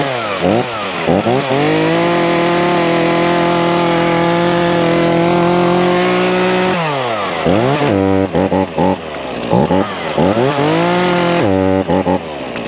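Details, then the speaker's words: Titan two-stroke chainsaw running after primer (purge) bulb and pull cord replacement, started choked and primed; buzz revs up and settles to a smooth even drone, blipping cleanly through throttle; runs healthy. "taffy she's fixed so there you go that's for titan um two-stroke uh chainsaw now all up and running new primer bulb or purge bulb as they call them and a new pool cord all done"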